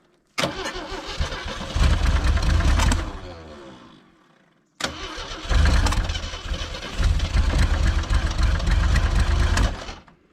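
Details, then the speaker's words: 1980 Jeep CJ7 (possibly CJ5) with 258 inline-six, sitting about 20 years: two long cranking runs with stumbling catches that surge then die; runs only while jumper power is connected, owner suspects something missing in the ignition. Cranks but no start. "I get it it's not this needs to be hooked up as soon as I I need to get a different uh Source it has enough to crank it but as soon as I take that away it stops and that's because there's something missing in the ignition"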